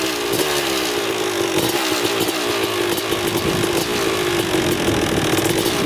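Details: 2000 Suzuki RM250 two-stroke on first test ride after pipe fix, carb clean, new oil, fresh gas: crisp ringing buzz holding steady revs, clean firing, no bogging or rattles; running great in first gear.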